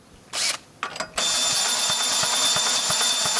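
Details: Ford Falcon AC compressor, restarted after seizing, with splines stripped off the wobble/swash plate, possibly from overheating: harsh metallic grinding with rough clatter about three times a second; internal failure, won't turn properly.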